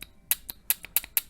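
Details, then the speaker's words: Honda J-series V6 transmission linear solenoid for code P0747, removed and bench-tested with battery alligator clips: crisp, distinct light clicks about five per second; solenoid moves and works correctly. "right there it's moving so the solenoid is working correctly"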